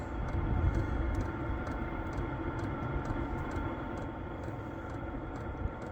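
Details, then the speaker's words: Vevor 8 kW diesel heater running on battery power, about 60°F outside, heard from about 5 feet away without duct: steady low hum with light, even fuel-pump ticking, no surging or rattles; normal, quiet operation. "It's 60 degrees, but it's not really loud, guys. Here, I'm going to step back. I'm probably 5 feet from the heater."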